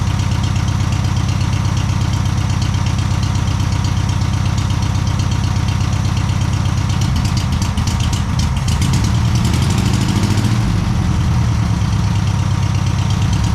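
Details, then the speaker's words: VW Super Beetle, rebuilt air-cooled flat-four, first start after engine install: catches and holds steady, low, even idle, no knocks or misses, may need slight tuning; normal idle. "It might need a little bit of tuning and all that stuff, but it does fire right up, starts, drives."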